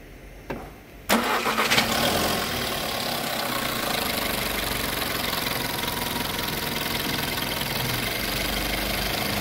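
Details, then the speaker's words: Cold-start hydraulic lifter tick on a 1.4 TSI Skoda Octavia at about 152,000 km: fast idle with light rapid ticking on top; loud when started cold in the morning and returns if restarted 5–6 minutes after stopping; timing chain already replaced, noise persists. "araba sabah çalıştırdığınızda soğukken çok fazla bir ses geliyor arabayı stop ettiniz 5-6 dakika sonra geldiniz tekrar çalışırız aynı stop ya aynı sesi tekrar veriyor"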